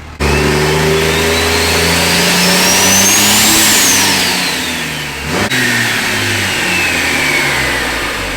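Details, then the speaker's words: Cummins diesel truck with newly fitted fixed-geometry (non-VGT) turbo, transmission about 120 degrees after PPE pan install: revs over about four seconds with loud whistle rising to high pitch and falling; normal healthy turbo whistle. "She really whistles for a Cummins. Well, it really whistles for a fixed geometry turbo. This is not a VGT turbo like your Duramaxes and your Power Strokes."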